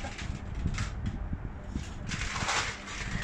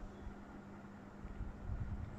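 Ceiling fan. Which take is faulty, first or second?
first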